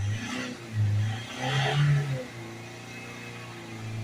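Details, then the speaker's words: Ford Transit Custom diesel, about 132,000, with engine malfunction and DPF soot-accumulation fault codes (P24A4, P246C, P2463), during DPF cleaning with a vaporizer: revs climb in hard surges, then drop to a flat low drone as limp mode restricts them again. "there you go the revs are gone now it's restricted again"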